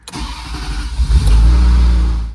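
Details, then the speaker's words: 1992 Ferrari Mondial t, 3.4 L V8 shared with the 348, after a dual-mass flywheel regrease meant to fix its hot-start shaking and sputtering; it cranks briefly, catches almost at once and settles into a steady deep rumble. "Okay, just let the clutch pedal out. And she's happy."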